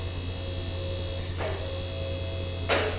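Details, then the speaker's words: QuickJack BL-7000EXT lift, first pressurizing of the hydraulic system with no load: steady low electric motor hum with brief hissy bursts as fluid enters the cylinders; pump working normally, slight hesitation blamed on no load and air bubbles. "All right, so moment of truth, we're gonna pressurize the system, see what happens. So you hear the pump going on, sounding good so far."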